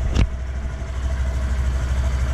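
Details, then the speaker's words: Wrecked 2018 Honda Grom being rebuilt, first start after fitting a new battery and checking the oil: the small single-cylinder thumps along at a steady, even idle with no knocks, misses or rattles. Normal idle. "one big stress relief off my shoulders all right so now we know it runs"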